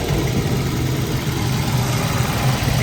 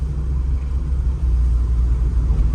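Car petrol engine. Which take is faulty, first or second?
first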